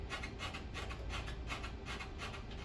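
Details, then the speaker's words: Treadmill giving short, bright squeaks in repeating bursts over a low rumble with each step on the belt while running. "There's a squeak right there. Now I can also hear it when I'm walking on the treadmill."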